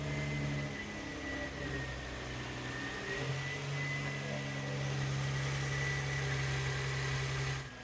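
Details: 2008 Infiniti FX35 idling just after replacing valve cover gaskets, intake manifold gaskets and camshaft position sensors: steady, even idle with constant low hum, no knocks, ticks or misses; normal idle, no oil leaks seen.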